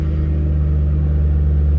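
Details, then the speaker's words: 2006 Ford Mustang GT convertible, 4.6 L V8, 5-speed manual, Ford Racing cold air intake and mufflers, 82,294 miles, no warning lights: start then deep steady V8 burble at idle, no ticks, knocks or misfires; normal. "All right, we're going to go ahead and start this up so you can hear it run, and we'll take a peek underneath the hood."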